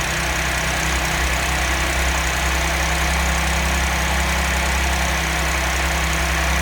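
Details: 2010 Audi S4 B8 V6, manual, 110,000 km, cold start idling with a busy clattery rattle over a low hum from a worn timing chain, later replaced.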